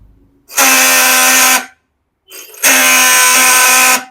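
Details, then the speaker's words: Yamaha R15 V4 self-start pressed: two harsh one-second bursts, rough buzzing krak-krak grind over the cranking whir from the engine; worn starter motor bush. "Self switch को जैसे ही push up करे क्रक क्रक का काफी ज्यादा engine से no जा रहा है"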